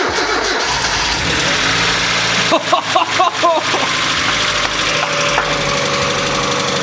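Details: Mazda MX-5 after 12-13 years in a barn, engine first rotated to confirm not seized, oil low: starter cranks, catches and settles into a steady idle; normal start after long storage.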